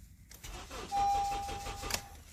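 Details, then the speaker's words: Honda with flashing green key immobilizer light and a taped key fob whose transponder/circuit board appears missing: starter cranks evenly about five beats a second under a steady chime, engine never catches; immobilizer blocks start, new programmed fob needed. "See, it won't start. Because computer thinks you got the wrong key and it feels very light."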